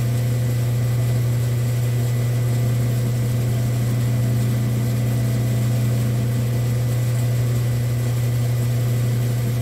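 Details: Rock slab saw with a slow screw-driven carriage, testing the repaired auto shut-off switch. A smooth, constant low motor drone with no knocks or grinding; it runs evenly, then shuts off by itself.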